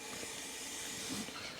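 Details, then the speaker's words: 1996 Ford F250, passenger front wheel turned by hand; steady scraping hiss of pads rubbing the rotor as the caliper hangs up, worse when warm; brake drag from sticking caliper. "uh the brake is dragging a little bit right now I actually had to stop on the side of the road and tap on or hit and whack pretty good on the back side of the caliper to get it to loosen up"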